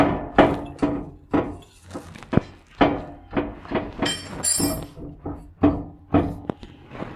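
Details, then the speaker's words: 1979 Chevy Caprice, rear suspension rocked by hand: irregular heavy metallic clunks as a component strikes the trailing arm bolt. Found during a transmission pan and filter job where many bolts were loose. "oh oh oh wow okay look at this that's hitting right on that bolt right there for the uh trailing arm"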